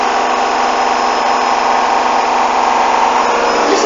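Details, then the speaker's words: Hoover washing machine, coloureds 40°C bedding load, final spin at 1400 rpm: steady fast spin roar with a shaky, uneven rumble as the badly unbalanced load thrashes the drum. "Listen to that! It's shaking! Eesh! What was that from? It's water locking like that."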